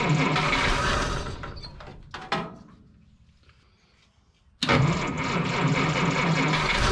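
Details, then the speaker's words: 1955 Willys Jeep wagon flathead, with gas leaking from the carburetor bottom: runs briefly, sputters almost out, then fires again roughly; won't keep running. "she's trying to run H something sounds kind of funky well she's trying to run fellas something does not sound happy though"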